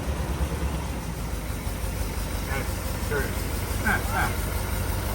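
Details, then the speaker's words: 1948 Cadillac idling after first start in 21 years; timing not yet set and no service done yet: low, even rumble with steady firing and no knocks, misses or ticks. Purrs like a kitten; normal idle. "Yeah, I mean, we haven't done timing on this thing. We haven't done anything yet, but it purr like a kitten."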